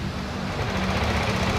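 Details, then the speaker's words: Yamaha Aerox scooter at idle: harsh rapid metallic clatter from the cylinder head, rocker arm ticking mixed with cam chain rattle; often linked to late oil changes. "suaranya ngeracak ya ada suara keteng ada suara pelatuk ya teman-teman ada suara pelatuk ada suara ketengnya juga nih"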